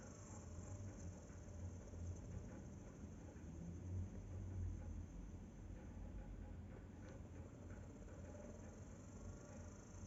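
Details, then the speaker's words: Sony TC-560 tape deck DC motor on the bench on a 9V battery after removing crumbling speed-sensor magnet material and replacing a broken screw: faint smooth even whir, no grinding or scraping, really silent; normal running. "it is really silent I hope it works"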